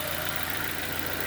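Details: 2007 Nissan Y11 Wingroad QG15DE cable throttle at idle: steady even beat under heavy hiss, no knock or hunting, around 825–850 rpm with the IACV set manually; burnt ECM idle-valve driver and a stuck fuel pressure regulator causing rich running.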